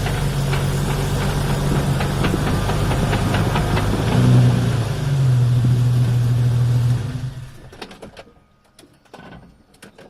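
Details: Drivetrain clunk while driving, recorded with the front driveshaft removed and all U-joints replaced: a steady drone with even clunks, a little under 4 per tire rotation, pointing between the transmission output and the differential input. With the rear driveshaft out, the noise remained but was less pronounced.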